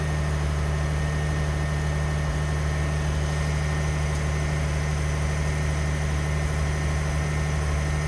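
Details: 2021 Ford F150 PowerBoost, remote cold start at about minus 20, November 9, 2022: steady low idle with a rough, gritty cavitating/grinding hum that does not change; source unclear.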